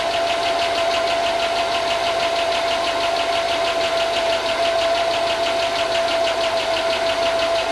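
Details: 2005 Chevy Tahoe 5.3 L LS, first run in a long time after fixing grounds for no-spark: fast, light ticking at about three per second over a rough idle with a thin whine; owner suspects lifters.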